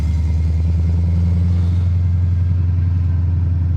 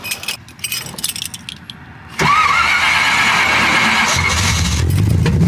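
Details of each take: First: 1979 AMC Spirit AMX, AMC 304 V8 converted from carburetor to ACES throttle-body EFI with Command Center surge tank; after a tuning setting fix, steady deep idle holds without stumbling or stalling when clutch pressed rolling to a stop; previously stalled. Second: 1979 AMC Spirit AMX, AMC 304 V8 converted from carburetor to ACES throttle-body EFI, manual transmission: handling noise, then the starter catches and it settles into steady idle. It stalls when clutching in, and the owner suspects overfueling on clutch-in and plans to change an EFI setting.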